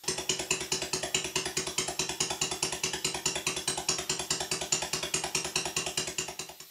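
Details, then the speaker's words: Stuart Sirius steam engine running on compressed air at slow speed, after nipping up the big end bearings; slight remaining play between big end bearings and crank pins gives a crisp knock each stroke, clearer slow than fast; valve timing also slightly retarded. "If I slow the engine down, you can actually hear the knock fairly clearly. Not so much when I speed it up."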